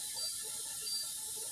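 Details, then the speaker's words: Dishwasher after repair, restarted: drains old water then brings in new; steady, uninterrupted soft spray hiss with no grinding or pump strain; back on schedule, washing normally. "So it's taking out the old water, and then it'll bring in new water. Once we get to that level, There it is. So it just takes, it's back on schedule. So now the water's going."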